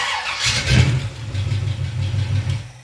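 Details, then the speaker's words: Chevy 350 V8 just after a valve adjustment, started up and settling into a smooth low rumble with no lifter tick; the valve train is quiet. "Perfect. Nice and Okay. quiet. Yeah, nice and quiet."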